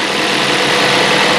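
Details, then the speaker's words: Mazda 3 after water pump replacement, coolant just refilled: smooth, even idle with steady hum, the earlier grinding noise gone, nice and quiet. "I like that, nice and quiet, no more noise. Back to new."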